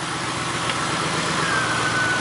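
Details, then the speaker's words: 1999 Grand Marquis P71 4.6 that developed a misfire in cold weather, after finding a broken clip: steady even idle with no stumble or shake; engine running cleanly. "yeah yeah Willie sounds real good all right problem solved simple enough"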